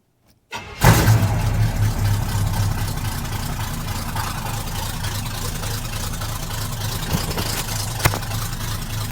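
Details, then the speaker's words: Truck with new exhaust, battery just reconnected: quick crank, instant catch, then a deep, even V8 burble settling to a steady idle with no knocks or misfires; healthy, though a fuel leak still drips on the exhaust. "Yeah, that sounds pretty awesome."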